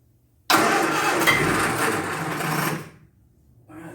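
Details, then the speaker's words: Triumph Spitfire that hasn't run in years, gas sprayed in before cranking: engine catches and runs ragged about two seconds then dies; fires only on squirted fuel. "You got to be kidding me. That thing wants to fire right up."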